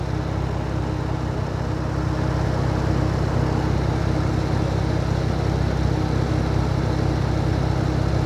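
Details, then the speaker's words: 2012 Camaro rebuilt engine idling after radiator repair, warming toward temperature with thermostat not yet open and air likely in the cooling system: a low, steady, quiet idle with even rhythm, no knocks, ticks or misses; runs smooth. "It just amazes me how quiet it is now. I really didn't get that the first time I started, or second time, with no, it just sits there and purrs."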